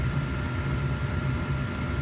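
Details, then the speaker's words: Diesel heater in freezing weather around zero degrees, at power setting four after smoking at five: soft low thump repeating about three times a second over steady hum and constant whistle; rhythmic thumping, cause unclear. "turn it up to five it started smoking turn it back down to three then up to four and this is our life but if you can listen to that thumb down now"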